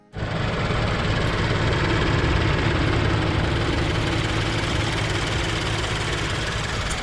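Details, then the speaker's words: Subaru BRZ at idle: steady smooth idle with a light fast chirping tick on top, the known constant "cricket" noise common to BRZ/FR-S/86; source not identified. "It just is this little annoying sound that you can't get rid of for some reason, and it happens all the time."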